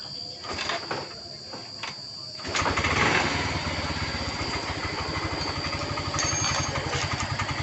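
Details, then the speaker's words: Yamaha Mio M3 after repair of a kick-start that would not turn, rear wheel propped up off the ground: a few kicks, then it catches and settles into a quick, even, stable putter with no misfires; normal idle. "Motor langsung hidup normal, slow, langsam, bagus. Langsung stabil."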